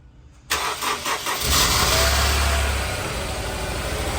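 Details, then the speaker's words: Honda S2000, 200,000 miles, idling rough on three cylinders (number two misfiring): on start a shrill starter whir lingers as the engine fires, then settles — starter hanging up after engine start. "start a hangs up you heard that noise is right there that was a starter hanging up"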